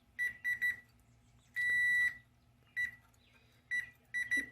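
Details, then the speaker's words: 1961 Zenith Space Command 300 console TV picture tube: multimeter continuity beeper across the CRT heater pins cuts in and out as the base is wiggled; intermittent heater continuity needing work. "sometimes we get continuity wiggling this around so this is going to need some work"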